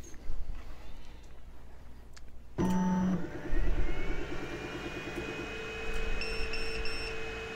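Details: Geeetech Giantarm D200 3D printer after reseating the loose hot-end connector that had caused connection-loss pauses: it powers up with a whir and a few short beeps, then an even fan hum with no error tones. A healthy startup.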